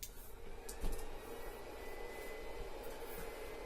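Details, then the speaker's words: TronXY X3S 3D printer on first power-up: siren-like whistling whine over a low hum rising in pitch; standard stock cooling blower, thicker than Creality's, very noisy. "That sounds like a siren. Standard blower, thicker than the Creality one."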